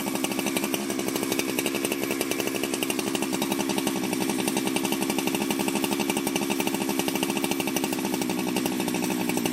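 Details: Ported Jonsered 2071 chainsaw after rework; it had run poorly, like an air leak with a hot case, but no air leaks were found and the crank was re-tightened. High, even buzz held near full revs with a steady crackle, no misfires or surging: normal running.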